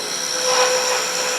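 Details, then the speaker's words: Wood lathe turning a thin wand with a 3/4 inch skew chisel: hissing cut with a steady high buzz as the thin spindle flexes and vibrates, not yet critical. "And you can hear the vibration, but it's not critical at this point."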